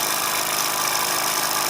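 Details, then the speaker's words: Bowman M140 model steam engine, first test on compressed air after cleaning and repairing the rust-welded safety valve spring: fast, even hissing chuff with steady beat, no knocks or stumbles; strong enough that a finger can't stop it; running well. "very powerful engine hear that my finger out couldn't even stop it trying to stop it look very very strong"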